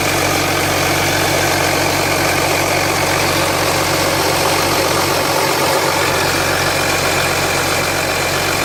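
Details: 2007 Jeep Grand Cherokee 3.0 CRD diesel started from cold after the oil pressure light came on (oil level correct; light on at idle, off when revved): constant light metallic rattle at idle, not localised at front; owner suspects timing chain, unconfirmed.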